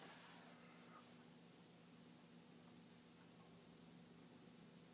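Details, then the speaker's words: Vintage Commodore floppy drive (1571 or 1541-II under test) trying to initialize and format: quiet steady spindle hum but no head-stepping clicks heard; disk spins, heads apparently don't move. "i don't hear the clicking which i know i think was happening when it was trying to bang the heads"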